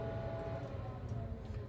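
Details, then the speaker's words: Weber SmokeFire EX6 pellet grill after replacing auger assembly and motor, starting up at 600 degrees: quiet steady fan hum with even whine, no rattles or scraping; normal startup, glow plug turning red. "they're all good mr. dink I can hear the fan"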